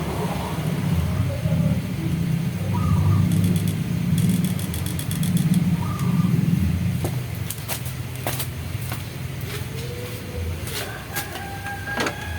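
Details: Honda Mega Pro mono after an air leak that blocked air-screw adjustment was fixed. A low, even idle rumble settles slightly quieter and stays steady; the single idles smoothly.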